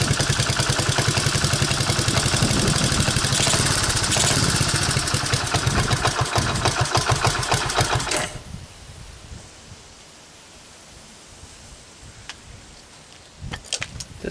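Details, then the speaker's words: 1985 Honda ATC125M single-cylinder, previously seized, revived with a hacked PZ27 carb on a rotated intake manifold and portable 12VDC CDI, on a cold start: a fast, fairly even putter, about three and a half beats a second, then cuts off; sounded nice, normal running. "it uh it sounded nice actually i was i was kind of happy with it"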